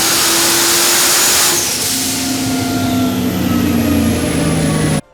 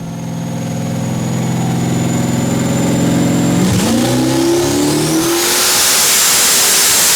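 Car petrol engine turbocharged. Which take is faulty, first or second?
first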